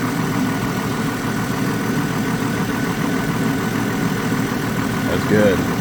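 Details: 2002 GMC Envoy 4.2 after fan clutch replacement, engine not yet warm: steady, even idle with fan whooshing smoothly, no knocks, ticks or wobble; fan slowing itself, engine and new clutch sound healthy.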